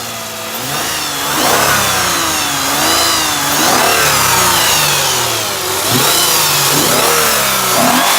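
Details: 2006 Lexus IS350 3.5L 2GR-FSE after a DIY rebuild for a blown passenger-side head gasket and a cylinder 5 misfire: it revs up and settles back cleanly and repeatedly with no knock, rattle or hesitation, sounding healthy.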